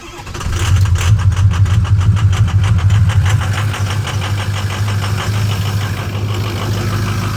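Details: 6.0L diesel truck cold start after sitting overnight at about 45-60°F, no check engine lights; rough, loping idle stumbling every few beats from a bad number 4 injector that passes the buzz test.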